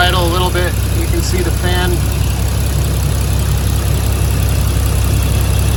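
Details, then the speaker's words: 1986.5 Toyota Supra MK3 with 2JZ swap, cold start next day after leaking fan clutch replaced, running a little rough before idle raised: slightly uneven low idle with even fan rush; healthy new fan clutch. "cold start so running a little rough but we'll turn up the idle"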